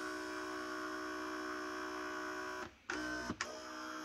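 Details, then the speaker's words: Philips EP 2200 (EP 2000/3000 series) coffee machine with red warning triangle drive fault: steady small-motor hum runs, stops briefly, restarts reversing; brew group drive cycling through reset travel. "il tourne pendant un moment il s'arrête automatiquement et tourne automatiquement dans l'autre sens"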